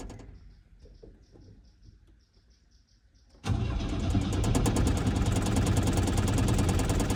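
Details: Old Chevrolet Chevette on a cold start: the starter spins the engine with a steady, even chug about three beats a second, but it never fires. Cranks without starting; cranking is stopped to protect the starter motor.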